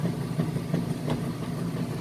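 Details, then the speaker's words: Maytag Centennial heavy-duty super capacity plus washer agitating a warm super load of jeans, no extra rinse: low steady motor hum with even back-and-forth surges about three times a second, level and balanced; normal agitation. "it sounds great what's going on if this guy back-and-forth bringing those clothes down and back up getting them real clean for you see it sounds good it's nice and level and balanced"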